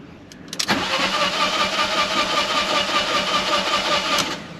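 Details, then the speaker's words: Fiat 500 TwinAir after engine reinstall with oil drained, codes for spark plugs and fuel pump relay; starter whirs steadily about three and a half seconds to build oil pressure, no catch; normal cranking without start. "so i'm just building oil pressure i hope i'm going to go and check for some leaks before i actually do uh start the engine proper"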